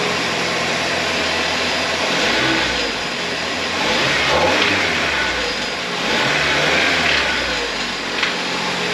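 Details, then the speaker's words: Toyota 2RZ engine from a wrecked 1999 Tacoma, first start after a new oil filter and an oil refill; oil light goes off and the engine settles into a steady idle with gentle blips, no knocks or rattles, healthy. "this thing sounds pretty darn good I'm actually super pumped about that"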